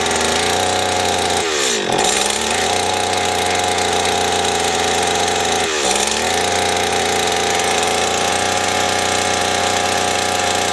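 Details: Stihl FS 80 R two-stroke trimmer, after fuel line, primer bulb and ignition coil repair: crisp, steady buzz with two quick throttle blips that rise and settle cleanly; smooth, even normal running.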